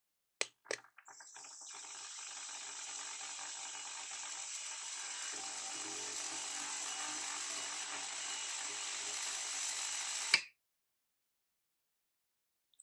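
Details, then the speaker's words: Elna eF1 semi-industrial sewing machine, new, winding a bobbin: soft, even high whir for about nine seconds with no clunks or grinding, then a click as it stops; incredibly quiet, smooth, healthy winding. "this machine is at least in this step incredibly quiet and very smooth um I didn't notice any kind of like clunking grinding incredibly incredibly quiet"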